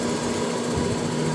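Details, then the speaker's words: Rewound capacitor-less snail-shell blower motor on first test after reassembly: steady, even hum with clean tone and whooshing air, no scraping or rattle, running normally. "Nah, ini udah suaranya udah keluar ya. sudah keluar anginnya di sini. Sudah suara hidup dengan nah, sudah keluar anginnya Begono,"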